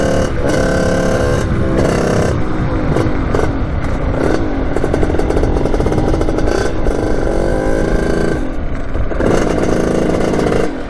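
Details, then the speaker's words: 1989 Kawasaki KX80 big-bore 110 two-stroke at full throttle: revs climb and fall in bursts but never clear sharply into the power band, bogging; owner suspects jetting or something slightly off, unconfirmed. "I went through everything I don't know what it could be either jetting or something's a little bit off"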